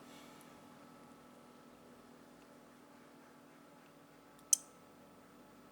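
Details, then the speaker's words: Hybrid inverter ATS controller switching back to PLN grid power: faint background hum, then a sharp relay click and another starting, switch 1 relay and ATS relay not firing together; normal changeover switching. "Sekarang menggunakan PLN. Terdengar 2 switch relay. Yang pertama relay switch satunya, yang kedua relay ATS-nya tidak nyala bersamaan."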